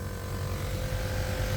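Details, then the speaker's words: Lexus GX470 air suspension after system reset, engine running: solenoid clicks, then steady low hum with a faint constant tone over idle as the air-ride compressor runs. Normal compressor operation. "so i heard the solenoid click don't hear the compressor running yet hit the off button there it goes it's running"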